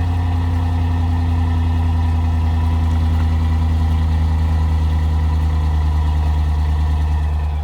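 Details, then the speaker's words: 2015 RAM 5.7 HEMI with aftermarket headers, after a Fel-Pro gasket replaced the leaking kit gasket on the passenger side: a deep, steady V8 rumble with a smooth even beat, no ticking or puffing. Normal exhaust note, leak fixed. "that sounds way better that's that sounds solid quiet as a little church [Music] mouse gave it a little bit of a growl"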